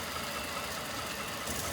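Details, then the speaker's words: 2011 Ford Crown Victoria Police Interceptor, 4.6 L V8, 53,000 miles, sat two years, collision damaged, suspected bad fuel pump: even idle with steady hiss, no knocks, misses or rattles; engine sounds good. "but it's got a 4.6 6 L V8 with 53,000 miles. So, it may be a great parts vehicle. Engine sounds good."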